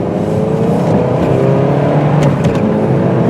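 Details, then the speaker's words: 2005 Pontiac Sunfire two-door coupe, about 124k miles, on a test drive: engine note climbs smoothly and evenly pulling through the gears up to 50 mph, no knocks or misses, only a couple of minor rattles; healthy engine under acceleration. "as you can see right up to 50 mph no problem I have put a few miles on this car myself it does uh seem to run pretty good"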